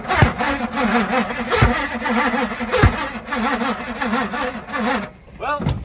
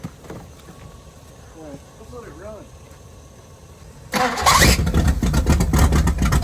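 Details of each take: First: 1978 Pontiac Firebird with a 305 V8, abandoned since 1989; the engine is primed with gas poured down the carburetor and the fuel line is off the dirty tank. Uneven starter churn with an occasional cough, but it never catches. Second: 1978 Pontiac Firebird with a 305 V8, abandoned since 1989, at first start with a working fuel pump. After a quiet stretch it catches and settles into a strong, even rumble without misses or knocks; it runs normally.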